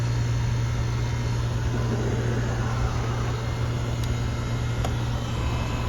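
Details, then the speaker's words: HVAC condenser fan, unit assumed to be R22, disconnect faulty and fan wire pulled out: loud rough humming buzz, with no change in amp draw during the weird noise; the unit is in rough shape. "Our fan sounds like crap. The fan wire pulled out. See what it's pulling when it makes that weird noise. Not pulling any more or less amps when it's making that noise."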